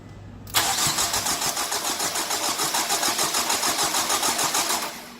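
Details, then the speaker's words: 2003 Nissan 2.5 replacement engine, coils unplugged for oil priming, jump pack on battery that had sat: even cranking about three and a half turns a second, no firing; normal cranking with ignition disabled. "so what I want to do is disable the start by plugging the coils so we can get some pressure up oil pressure"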